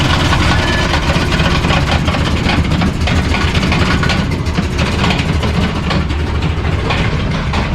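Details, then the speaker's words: Ford F150 stock Triton 5.4 single-turbo, after running 14 psi boost at the drag strip: rough heavy idle with loud uneven knocking clatter through the low end, smoking; suspected broken connecting rod or piston, unconfirmed. "I think you broke a connecting rod, or you broke a piston. Definitely a connecting rod or a piston. The way it's smoking and the way it sounded."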